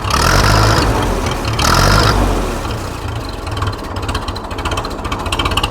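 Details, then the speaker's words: Restored Ferguson TE20 'Grey Fergie' tractor just started, before warm-up: a couple of revs, then a slow, steady chuff of about three to four beats a second; healthy tickover as low as 400 rpm, where the battery does not charge. "listen to that tick over. It'll tick over as low as 400 RPM. Absolutely incredible."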